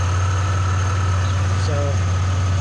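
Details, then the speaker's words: Idle after replacing a failing alternator (suspected bearing) with a remanufactured unit and fitting a new belt tensioner because the belt slipped off; charging at 14 V, belt stays on the tensioner pulley; smooth, even low idle, no whine, chirp or growl; normal idle. "so the alternator is functioning like it should sounds a lot better built staying on the tensioner pulley"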